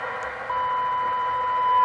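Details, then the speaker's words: Early-1980s Formac 120 AM/FM CB radio under repair, FM receive test using a TinySA signal generator tone. A steady, clean tone near 1 kHz over faint hiss; the receiver passes signal normally. "so in FM it's given us that's a zero dbm but we can still hear it down there can't we"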